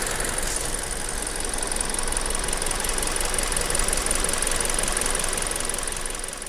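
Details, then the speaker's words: New Hyundai Tucson that knocked on cold start with factory oil, after changing to GT Oil Energy SN 5W-30 at 1,500 km: even, steady idle hum with no tapping or knocking; normal idle. "после замены масла на пробеге полторы тысячи километров двигатель стал работать вот так"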